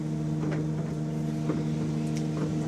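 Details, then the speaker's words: Windscreen wipers and washers tested during a PSV walk-round check: fluid sprayed onto the screen, engine idling underneath, soft even swishes about once a second as the blades sweep; wipers and washers working normally. "So now we're going to test them. We'll spray some fluid onto the screen and see how the wipers clear it away."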